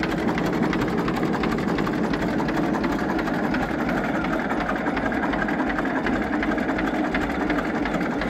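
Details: 1934 Deutz F2M315 tractor with 25/28 HP two-cylinder water-cooled Deutz diesel, first start in 10 years after a few failed attempts; slow, even chugging at idle with no misses or knocks, a steady healthy tickover.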